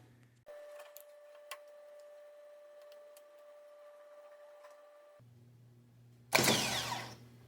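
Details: Brand-new dealer starter for a 2020 BMW X5 no-start, bench tested on a scope: clean, steady mid-pitched whine for about five seconds, no grinding, then a clunk; starter spins freely and healthy.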